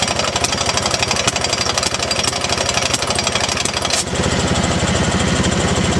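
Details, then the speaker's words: T80 air compressor squeaking and rattling harshly, about four knocks a second, changing when the inlet is blocked; no rattle without load; it later seized and twisted its pulley apart: internal compressor failure. "so that's pretty definitive it's a bad compressor"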